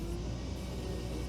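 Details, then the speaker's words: All-terrain vehicle with GAZ-66 transfer case driving in low range: steady low gear hum under engine rumble, normal low-range gear noise that disappears in high range. "звук работы шестерёнок, но здесь смысла нет на пониженно на ехать. Машина ревёт и скорость никакая."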